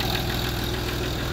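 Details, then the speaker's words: Land Rover Discovery 3 (55 reg) TDV6 diesel after crank work, cold start: steady tapping knock over idle, louder until oil pressure builds; owner suspects a top-end cam follower, unconfirmed. "it is all your pressure-related because if I leave it for a long time the few seconds when you start it up before the all pressure reaches it's a little bit noisier than when the oil pressures fully up"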